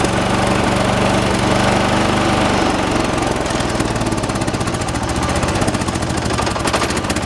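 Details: 1986 John Deere 216 lawn tractor, 16 hp single-cylinder Kohler, during carburetor adjustment: heavy thump about four beats a second changing rhythm as mixture is tweaked, still uneven; shake considered normal for these engines; uneven running.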